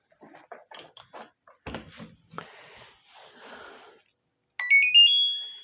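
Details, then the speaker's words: LG top-load automatic washing machine PCB that hangs, after repair: quiet clicks then a bright rising chime of several clean beeps at switch-on; control board powering up and working properly. "ठीक है यह देखिए अभी मैंने PCB कौन किया है तुम्हारा पीसीबी जो है प्रॉपर वर्क कर रहा है"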